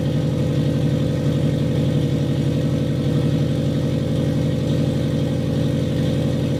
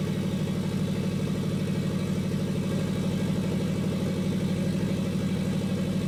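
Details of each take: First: Custom turbocharged FRS (Toyota 86 platform), already warmed up after running a while, revved lightly after fixing a leaking exhaust gasket; it settles into a steady idle with an even, deep exhaust pulse and no puffing or ticking. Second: Custom turbo Toyota FRS idling: sharp regular puffing tick, about three a second, from an exhaust leak where a pipe gasket didn't seal.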